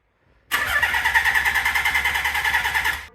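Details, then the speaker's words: Nissan 300ZX non-turbo being swapped to twin turbo and manual, first start attempt in neutral: starter spins with even compression pulses but never catches; coil-to-light test shows no spark, plenty of fuel; suspected ignition module (PTU) being replaced. "go for it no coughs or nothing all right so we got no fire so we hooked up this little thing we got coil to a light to ground trying to test out to see if we have spark seems like we got no spark"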